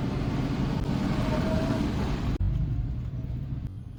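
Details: TVS XL100 moped: engine runs with an uneven, irregular clatter over a rough drone and cuts out abruptly; engine problem, cause not stated.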